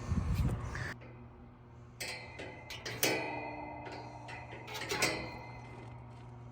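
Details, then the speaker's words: Rooftop air conditioning unit, no-cooling call, contactor pulled in and calling for cooling: steady low electrical hum with nothing spinning up; compressor hums but does not start, capacitor to be checked first. "This is a no cooling call. As you can hear, she's humming."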